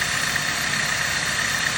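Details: 2009 Dodge Caliber after removing the AC compressor: steady, even engine idle with a soft hiss and a faint high tone; the previous rattle is gone, normal idle.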